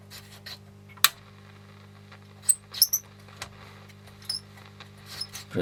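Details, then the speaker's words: 1960s AWA PA 30BZ valve public-address amplifier, first power-up as the valves warm up; a low steady hum with irregular sharp crackles and pops. A scratchy fault, source not yet traced. "Oh, something's happening. Oh, we got noise. That's just coming from that pickup."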